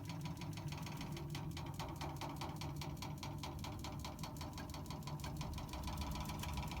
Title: Water meter knocking noise